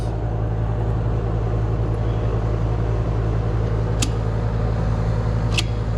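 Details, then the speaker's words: 24-year-old Carrier heat pump not cooling: only a steady low compressor hum with no fan air rush. Condenser fan motor not turning; a capacitor and a badly burnt contactor were also found and replaced. "and the condenser fan's not running."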